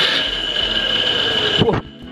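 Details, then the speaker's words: National-brand water pump that won't raise water runs with a harsh gritty whine then shuts off: worn bearings; front and rear bearings to be checked, replaced, seal inspected. "suaranya kasar ya kayak apa sih kasarnya Coba kita Nyalakan Young Lex kasar positif bearing nya ya tetapi coba dengarkan"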